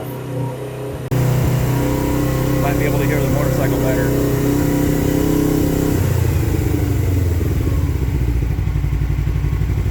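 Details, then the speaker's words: 2007 Suzuki GS500F twin revived: steady, even idle holding a constant beat with no misses, knocks or hunting; runs far better than before, longest it has run; normal idle. "But Oh, yeah. She runs way, way better than it did quite a few months ago. I mean, this is the longest it's ran."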